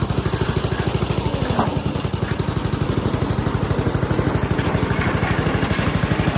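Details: Western pavement roller with 8hp Tecumseh engine, after replacing varnished carburetor with new one and gasket: even, steady single-cylinder chug at constant speed, no misses or surging; normal running.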